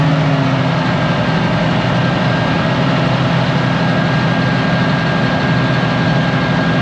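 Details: Ex-US Army Cat D6R bulldozer, low hours, revived from inoperative, idling after hydraulic cylinders were cycled: deep, even diesel rumble, no misses or knocks. Running smoothly.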